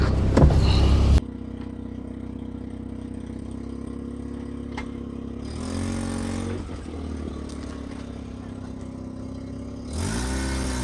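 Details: 1983 Mazda RX-7 rotary on its first test drive after 2 years not running: a smooth rising note pulls cleanly through several gear changes with no misses. It feels like full compression with no power loss, so the apex seals seem fine despite the worry after sitting.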